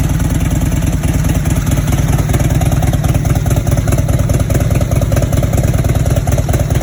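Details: 1997 Harley Road King Evo air-cooled V-twin first start after rebuild (base gaskets, cylinders bored, new stock pistons, valve job), loosely fitted exhaust: loud, lumpy potato-potato idle with exhaust rattle, no knocking; runs fine.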